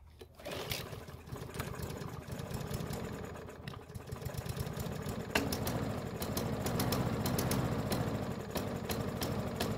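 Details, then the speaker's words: Yard Machines mower that wouldn't start; carb not removed for proper cleaning, which owner suspects caused this poor startup. Ragged, uneven sputtering that never settles into a steady beat: hard starting. "so that was a very interesting startup if you hadn't guessed it that poor startup was probably a result of me not taking the carb off for a proper cleaning"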